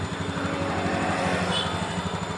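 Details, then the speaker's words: Honda Beat fuel-injected scooter that would not idle, after adjusting the idle screw: quick, even, low putter holding a steady faster pace without stumbling, aimed at about 1300–1500 rpm as recommended for automatic scooters; raised idle. "kita putar ke kiri sampai ketemu kira-kira 1300 sampai 1500 RPM kalau motor matic itu yang bagus agak besar"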